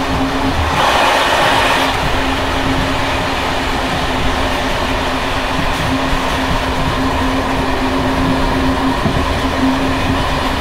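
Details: Bd264 481 coach (built 1979), Görlitz V bogies with many kilometres since last major maintenance, evening express on uneven line 190 near Hluboká nad Vltavou–Číčenice, heard from compartment or open window: loose uneven clatter over rail rumble and running hum from bouncing worn brake rigging.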